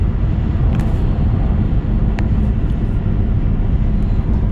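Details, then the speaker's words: Repaired 2006 Subaru Legacy (previously not shifting and grinding in park) cruising at 70 mph on the highway: steady low road rumble, no whine, clunk or grind; running great. "Yeah. So right now we are running highway speed 70 m an hour and um this thing is running great."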